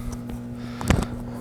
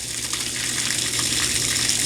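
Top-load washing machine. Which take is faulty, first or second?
first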